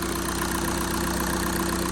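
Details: Mk6 VW Jetta 2.0 TDI common-rail diesel after valve cover gasket and injector seal replacement: steady even diesel clatter at idle, no misses or knocks, no leaks; running healthy.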